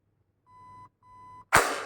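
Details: Zius BK1S/BK2S blaster with T238 electronic trigger, jammed when battery not properly charged, trigger held to reset: two even high beeps about half a second each, then a sharp snap as the blaster releases and rearms.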